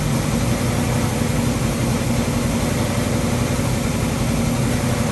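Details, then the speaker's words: Ford 289 rebuilt as a 331 stroker V8, first start after rebuild: tapping noise now gone but deep loping, uneven rough idle; distributor was re-stabbed by eye, so timing suspected off, to be checked with a timing light. "okay the tapping noise is gone so that's uh good job um it's not idling well so i need to hook a timing light up"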